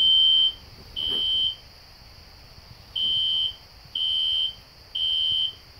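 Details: System Sensor SpectrAlert Classic horn strobe on low volume, heard in the background of a house demo with no control panel: high electronic tones in groups of three, then a pause, the evacuation pattern; horn sounding normally.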